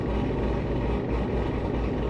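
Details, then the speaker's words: Cammed, supercharged Corvette Z06 with Corsa exhaust, after service-bulletin fix for exhaust valve rattle on passenger side, heard from inside cabin, coolant just above 100 degrees: steady low hum, constant pinging rattle with valves closed now gone. "i don't hear any more rattle before you just heard like a constant like pinging noise and i'm not hearing that now"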